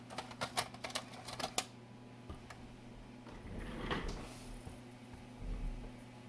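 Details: Macintosh TV CD-ROM drive, cleaned and tested on the bench before installation; a few quick clicks as the head seeks, then a soft rising whirr as the disc spins up and reads normally.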